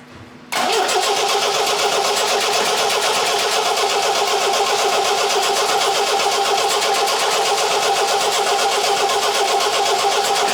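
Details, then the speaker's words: MGB Roadster under restoration, restart attempt after it ran the day before: steady fast cranking about four beats a second for ten seconds without catching; hard starting, needed easy-start spray to get going. "okay that's not going too well so i'm going to assist it with a little bit of easy stuff and see if that makes any difference"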